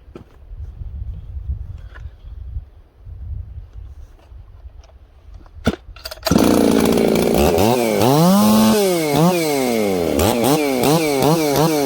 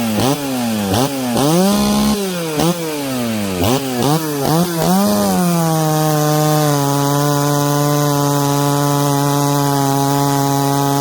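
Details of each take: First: Ported 1983 266 chainsaw making a test cut after warm-up: revs blubbery and slow to clean up at low speed; low-speed carburetor mixture running rich. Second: Ported 66cc Dolmar chainsaw, longer stroke, cutting through knots: screams to high steady pitch, bogs slightly but pulls clean without stumbling or hesitating; healthy chainsaw under load.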